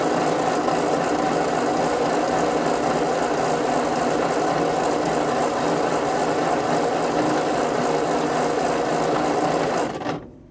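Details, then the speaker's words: 1952 Ford 8N tractor during compression test after work on stuck rings; one cylinder rose to almost 80, target at least 90: steady even cranking about four beats a second for ten seconds, no firing. Low compression. "I want to be at least at 90. So, this went up. It's like almost 80."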